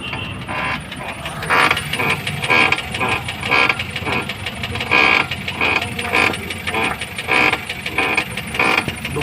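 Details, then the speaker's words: Maruti Suzuki Ertiga petrol taxi, left front, steering turned with wheels on ground: creaking clunks about two a second, stops when lifted; others quoted steering rack, found broken strut top mount bearing, replaced. "दो ही चीज हो सकती है या तो य steering रक है इसकी मूवमेंट हो रही है ठीक है या फिर सोकर का जो ऊपर का बेरिंग होता है"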